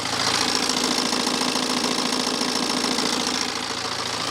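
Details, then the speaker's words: BMW 318d N47 diesel idling cold with a busy metallic rattle around two a second over the clatter; owner wonders if the timing chain, reportedly replaced 40–50,000 miles ago by the previous owner, needs replacing; inconclusive. "So then, what do we think? Does the timing chain sound bad on this? Has it been replaced, I don't know, 40, 50,000 mi ago when the previous owner said it was, or does it definitely need replacing right now?"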